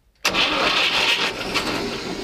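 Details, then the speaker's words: Old diesel in a homemade boat, after long standing: short burst of the engine turning over on the starter without catching, spinning the fuel pump to prime the system before decompressor start. Starter cranking. "крутанули топливный насос."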